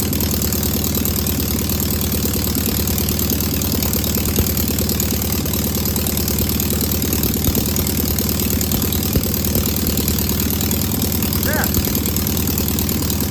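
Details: Single-port flat-four engine idling after its first start on a known good carburetor: steady, even low rumble with no knocks, misses or hunting. No smoke or leaks, a healthy, good running engine.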